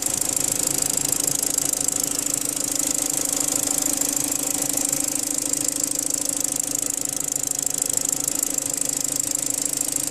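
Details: BMW N45 engine at a steady idle: a fast, fairly even metallic rattle-knock about two to three times a second; cause unclear.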